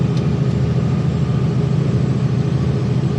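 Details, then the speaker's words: Kenworth C500 diesel truck idling: loud, slightly uneven, lumpy low beat around ninety a minute; diagnosed low fuel rail pressure, leaving exhaust not pushing out, and told to keep running. "was a fuel rail pressure. So, I'm down on fuel pressure."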